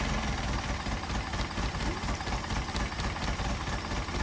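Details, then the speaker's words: Engine with rebuilt twin Solex carburetors, warmed up with thermostat open, throttle linkage disconnected: slow lumpy low rumble with loose uneven beat; idle speed too low. "We got the idle too low, so we're going to have to bounce it up a little bit."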